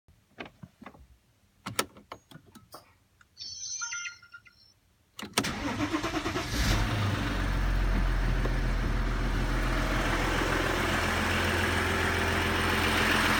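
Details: Audi A6 C6 2.7 TDI diesel, fully cold, Castrol Edge 5W30 oil: a few light clicks, then it fires and settles into a steady, even diesel clatter at cold idle, sounding healthy.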